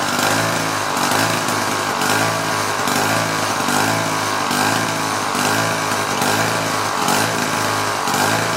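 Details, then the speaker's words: Two-stroke propeller engine on a 1950s kid's go-kart, long-sat, wheels off ground: high buzzy drone swelling and fading about once a second instead of steady; may be a hair on the lean side. "We may be a hair on the lean side."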